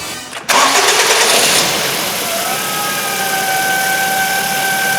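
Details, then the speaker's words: 2008 Ford Focus 1.8 petrol that lost electrical power and died: engine catches, then a thin steady high whine/squeal from the engine bay holds over idle; charge and voltage drop checks fine, alternator squeal. "r there is a port a whining noise coming from the engine bay sounds like it's the alternator"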